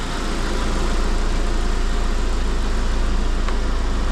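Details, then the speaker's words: Car idling after compressed air was blown through the alternator: steady, even low idle with no chirp or squeal. Quiet belt at idle. "the belt is now quiting down I blasted a load of compressed air into the alternator to see if there's any crap in it clear it all out"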